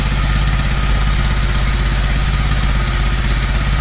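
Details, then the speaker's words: Toro 2CV twin-cylinder engine, primary choke of carburettor suspected faulty (falters when throttle opened), restarted after battery refitted: even, steady low putter with soft regular beat, no knocks or misses; smooth tick-over. "Running again. Nice draft out of there. That's working. Isn't that nice, eh? Doesn't that tick over and sound nice?"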